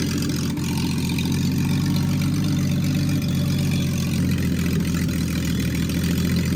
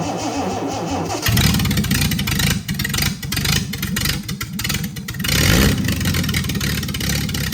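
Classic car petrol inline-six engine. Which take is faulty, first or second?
second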